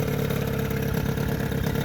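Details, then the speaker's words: Johnson 9.9 two-stroke outboard after carburetor cleaning, fuel system work, new thermostat and cover; electric start, shifted through neutral and reverse: steady, even two-stroke burble with constant note, no misfires or knocking; normal idle. "she runs pretty damn good give her some beans"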